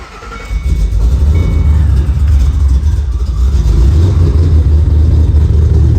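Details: Customer's supercharged Ford Mustang V8 with a Vortex supercharger, just after an engine oil change (Royal Purple 520) and a fresh synthetic supercharger oil fill: catches, settles into a deep even rumble, then revs cleanly with no knocks or misses. Healthy.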